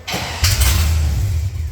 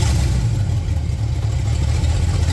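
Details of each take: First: Datsun truck build with a new fuel system, just switched fuel pump, fan and crank: a steady, low starter churn turns the engine over easily, but it never catches because it is out of gas. Cranks but no start, empty fuel tank. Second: Engine with open header, idling for the first time since installation, after having seized months earlier: deep, steady idle holds after a brief rev blip with no hunting or misfires; idle doesn't sound great but is idling fine, oil pressure reading okay.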